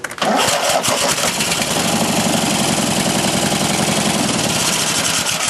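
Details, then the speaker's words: Mastercraft racer engine on the booster battery, intake off, temporary choke from another tractor, right cylinder earlier low on compression: brief cranking catches within a second, then a steady, even run with no misses or knocks; starting and running well. "Yeah, it's uh actually it's running pretty good. Starting up real good."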